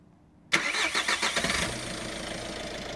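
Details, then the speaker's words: VW Caddy diesel just after an oil change (4 litres 5W30), checked dry for leaks: a quick crank catches at once and a few choppy beats settle into an even, steady idle with no knocks; normal start. "Seems alright. Just run it for like a few seconds. Just give it a few revs."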